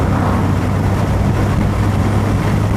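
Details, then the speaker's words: 1982/83 Ford Escort Mk3 1.3L carburettor petrol on road, hot day, windows down: steady deep drone pulling under load with no coughing, banging or misfire despite carburettor's reputation; pulls cleanly. "It's pulling cleanly. I was warned that reading the editorial that the carburettor does not always pull cleanly, but I'm not getting any coughing and banging."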